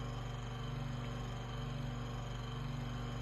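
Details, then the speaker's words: Room Essentials "Velocity" Desk Fan F-0411, single-speed, dated March 2011: low motor hum with uneven faint scraping flutter about twice a second; owner suspects the rotor is rubbing on the stator, not confirmed. "i think that's the rotor i think that's the rotor skipping on something in the stator"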